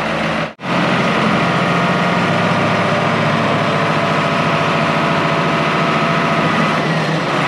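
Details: International IH 175C track loader diesel, sat a long time, freshly serviced with fluids and filters changed, run outside: smooth constant low drone, no misses, knocks or rattles; normal healthy idle.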